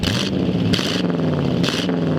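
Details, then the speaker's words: 1938 Ford Convertible V8 with newly built true dual exhaust, just after engine reassembly; lumpy, loping idle with black smoke and fuel smell, loading up the longer it idles, car shaking. Carburetor needs adjusting. Rich running carburetor. "That might be fuel. Yeah, it was a little black. See how the idle went up? It smells like fuel."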